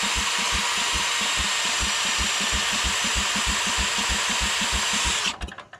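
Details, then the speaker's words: Old Rosco Vibra-Pac asphalt roller packer engine cranked after cleaning connections: regular cranking about three pulses a second for several seconds without firing, then stops; no spark, cause unconfirmed. "Alright, we have absolutely no spark. I think this is going to be the part in the video where I tell you that I failed. I can't get spark on this."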